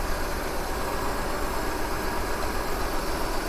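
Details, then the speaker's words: Maruti WagonR CNG petrol engine idling with an uneven, lumpy beat from dead cylinder 3 (P0303). Disconnecting its coil or injector changes nothing. Coil, injector or spark plug suspected; the ignition coil was then found faulty. "ये इससे कुछ फ़र्क ही नहीं पड़ रहा है। और 3 number injector ignition coil काम नहीं कर रहा है या स्पार्क प्लग काम नहीं कर रहा है।"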